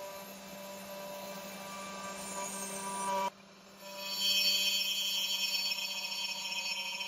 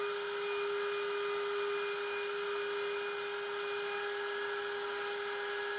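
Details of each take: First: Genmitsu 3030 PROVer Max desktop CNC, stock air-cooled 300W spindle cutting aluminium in mini vise with progressive step-down: steady high whine then loud harsh buzzing rasp; spindle chatter and vibration, underpowered spindle reaching its limit, cut not smooth. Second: Genmitsu 3030 PROVer Max desktop CNC with 1.25HP Makita router instead of stock 300W spindle, pocketing aluminium: steady high tone with even cutting hiss, no chatter or rattle; normal smooth cutting, near-mirror finish, square 19.97 mm.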